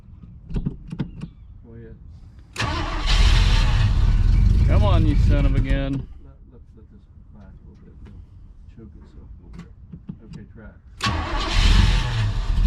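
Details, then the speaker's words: 1980 Chevrolet Cutlass scrapyard car, first start after ignition column work: two cranking bursts briefly catch and rumble, then sputter out; suspected spark knock from brake clean, bad old gas in lines and tank, or failed fuel pump. "Or a fuel pump's not working, I don't know. And it's just sputtering out."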